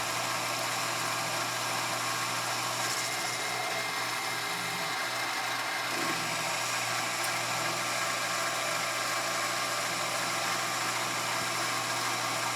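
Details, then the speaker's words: Grizzly G0765 7x14 mini lathe after motor pulley replacement, steel headstock gears and tapered roller spindle bearings, at about 825 RPM under lead-screw power feed at 0.020–0.025 in depth of cut: steady high motor hum, no bogging or chatter; normal cutting under load. "using the lead screw for power the LA didn't even seem to notice it here's 20,000 and this is off the radius this is the actual depth of cut not the total taken off of the diameter no discernable change with 25,000"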